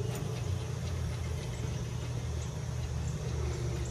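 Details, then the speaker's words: Blower motor with the belt removed: a deep, uneven rumble and rough drone instead of a clean hum, worse in one direction; worn motor bearings, plus a suspected wiring rub in the motor tripping the breaker. "you hear that bearings not good much worse that direction man"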